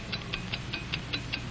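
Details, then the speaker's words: Hamilton watch movement running normally: crisp, steady, accurate ticks at five per second, evenly spaced, over faint background music. "it's the ticking of a fine watch wherever you go whatever you do america's fine watch ticks steadily accurately on five ticks every second you"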